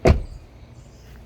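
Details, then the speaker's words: 2024 Toyota Corolla Cross XSE Hybrid, reference door: one clean, solid thump as the door shuts, with no rattle or clunk. It latches normally, unlike another door that clunks and needs extra effort. "Second issue, check out the door. Opens, closes, opens, closes. Opens fine, closes fine. Nothing unusual, right?"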